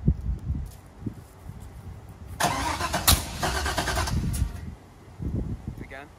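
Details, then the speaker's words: 1985 Camaro Z28, 5-speed, LS engine swap, first start, possibly flooded: slow cranking thuds, then loud ragged burst that catches and dies; backfire because coil leads were wrongly connected. "in one of the clips you're going to see it's about 2 3 minutes long of us trying to start it and it wouldn't start and it was backfiring and that's totally on me"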